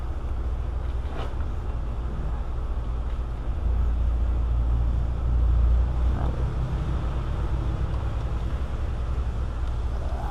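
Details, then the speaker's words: 2005 Nissan Maxima with code for bank 2 camshaft position sensor; smooth, even low rumble with no rattle or slapping, so timing chain not suspected; engine running normally. "because if there's an issue with the chain you would hear it running this thing came in here running perfectly"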